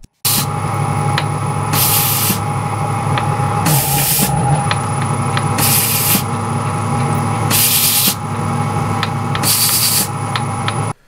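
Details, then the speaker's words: DIY CNC milling spindle runs steadily with sharp faint clicks over regular hissing air bursts every two seconds; clicking grew louder during plate milling, spindle fault prompting inspection. "słychać tutaj takie klik no i zaczęło mnie to niepokoić bo too etapem wykonywania tych płyt ten odgłos był coraz wyraźniejszy"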